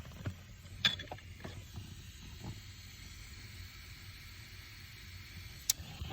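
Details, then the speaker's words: 1990 BMW 735i air conditioning: faint steady airy hiss from behind the dash, refrigerant leaking and system empties within 24 hours; soapy water on joints showed no bubbles, owner suspects the evaporator, not the expansion block. "there is hissing coming from in here okay i i've sprayed down all these joints and with soapy water and nothing never changed the tone of the air leak and no bubbles"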